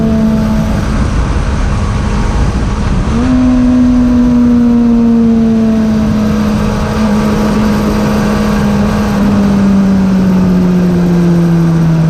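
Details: 2002 Suzuki Bandit 600 (GSF600), stock jetting and exhaust, new plugs, PAIR delete, on a ride: engine note climbs strongly through the revs with no flat spot, then drops smoothly on the shift; pulling cleanly.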